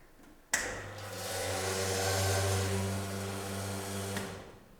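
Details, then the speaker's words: Sanremo espresso machine with water supply turned off: pump clicks on and runs a harsh, coarse, abrasive buzz while solenoid and group head still engage; pump running dry. "The pump is loud and abrasive, but the solenoid and the group head still engages."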